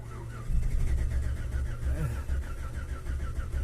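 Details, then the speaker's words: 2010 Chevrolet Silverado after engine replacement cranks but won't start: starter churns at a steady low beat, never fires; no petrol reaching the engine, pump receives current, fuel pump failed and replaced. "तो गाड़ी के अंदर petrol नहीं आ रहा तो अब हम check करते हैं पेट्रोल क्यों नहीं आ रहा"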